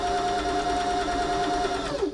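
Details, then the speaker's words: Janome 525s sewing machine after service, stitching: soft even whirring stitch rhythm, steady light tone, no knocks or grinding; tension good, nothing needing adjustment; quiet machine running normally. "You can hear it. This is just a quiet machine. They're just well made."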